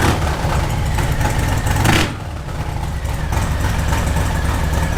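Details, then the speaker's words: Harley-Davidson Sport Glide V-twin started while stationary after a hose-down: loud lumpy idle with one quick blip, settling to an even loping beat; sounds good, normal idle. "I'm gonna go start the bike up. One, for my own enjoyment of hearing that engine, and two, just to get that engine rotating a little bit whilst it's stationary. Oh, she sounds good."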